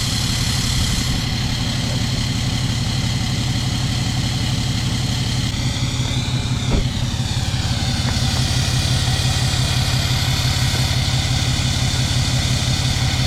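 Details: 6.7 Cummins diesel cold start at fast idle: clatter with a fairly steady beat, any stumble slight; possible misfire suspected, not confirmed.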